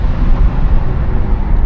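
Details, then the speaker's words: 1981 Chevrolet Caprice on a test drive at about 25 mph on a 40-degree day, windows down: deep, even engine pull under throttle over road and wind rumble, no squeal or rattle; the motor sounds healthy. "She's pulling pretty decently. Motor sounds good. No crazy squeals, rocking or anything like that."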